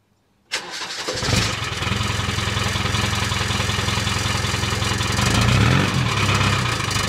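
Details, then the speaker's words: Land Rover 300 Tdi diesel, heard from the rear after the old exhaust was rebuilt and rewelded, tailpipe refitted: cranks briefly, catches, settles into even diesel clatter with deep steady exhaust; no rattle against the body, fixed. "all fixed didn't even rattle it's it's clear in the body perfectly that's great that is it sounds good"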